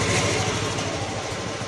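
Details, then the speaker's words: Three-month-old Hero Xoom 125 scooter that wouldn't start, other garage blamed sensor/ECM; battery charged and checked, now starts; steady, even engine note with no knocks, misses or rattles; normal running. "ಗಾಡಿ start ಆಗಿದೆ ಅಂತ ನೋಡಿ ಇದು ಜೂಮ zoom extra"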